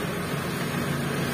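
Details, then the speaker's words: T120SS injection engine with an unstable, slow-dropping idle blamed on a dirty ISC/throttle body, started after refilling the radiator; cold engine, steady even hum with faint hiss, idling above 800 rpm until warm. "karena untuk suhu di mobil ini masih dingin ya untuk posisi suhu temperaturnya belum begitu naik makanya untuk stasionernya masih di atas 800"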